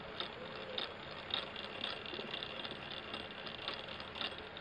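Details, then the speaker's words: Honda GL100 engine being restored: aftermarket primary gear turned by hand gives uneven metallic clicks and rattle from loose, imprecise mesh, noisier than the used original 18-size GL/CB gear; excess backlash. "Untuk kepresisiannya agak cukup jauh ya. Ini kurang presisi ada agak longgar sedikit dibandingkan dengan ori copotan ini hampir tidak ada tapi ada sedikit."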